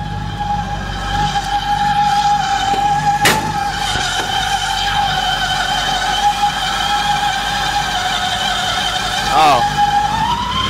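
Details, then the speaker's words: Belt whine on an idling 1960 Impala V8: steady high whine as the drive belt rubs on a radiator hose clamp, nearly wearing through the hose; generator needs tightening. "stop stop stop it now how in the world that belt got hung up on that hose clamp I have no idea but we got to get it off of that good thing I caught that we would have burned right through my belt"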